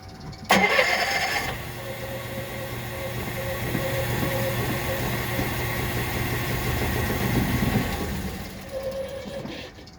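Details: Fuel-injected Kohler 5ECD engine that does not start. The starter churns steadily at about three beats per second for six seconds without catching; a dirty carb-like fuel problem is suspected.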